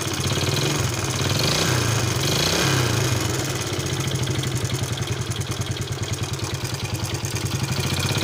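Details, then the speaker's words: Yamaha Vega ZR motorcycle, very noisy engine: rough clattery idle with fast metallic rattle over the beat; loose cam chain and worn piston pin and connecting rod knocking up top. "Seperti pada awal video, kita sudah mendengar dan melihat suara pada motor Pega ZR ini sangat berisik."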